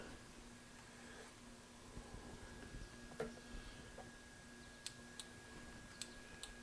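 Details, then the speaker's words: 1993 Yamaha Riva 125 scooter, no-start: pressing start gives only a few sharp single relay clicks with no cranking; test light shows no power reaching the starter. "huh I'm not getting any power to the starter okay ciao This little light bulb should light up nothing but a click from a relay"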